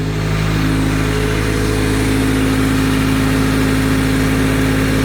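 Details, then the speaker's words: Honda D16Y7 engine on first start after a timing belt replacement: steady, even idle hum, a smooth low drone with no knocks, ticks or whine. Normal idle after repair. "weird noises purring like a kitten sorry I'm a nerd"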